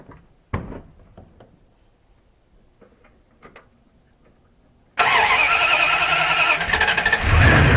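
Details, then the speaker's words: Carbureted engine being tuned for winter in northern Alberta, already warm from heat soak, choke fully on, on the fast idle cam, two accelerator pumps: fires at once and holds a steady fast idle that climbs a little; normal fast idle on choke. "and you can hear it trying to come up on it fast idle faster because the engine's already got some warmth to it"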